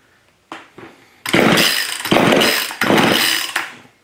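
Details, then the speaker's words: Old neglected Craftsman two-stroke chainsaw after partial carburetor rebuild with a corrected diaphragm, primed with gasoline, on choke: pull-start rasps, then short ragged firing bursts that die away; catches briefly but won't keep running, fuel seen drawing into carburetor. "Wow making progress it wants to go"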